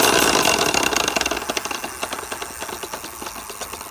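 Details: Rad Power RadRunner 1 e-bike with Bafang hub motor, started rattling while commuting, no external damage seen: sharp uneven clicking about three per second over the motor whine under throttle, fading as it spins down; rattle or gear grinding inside the motor suspected.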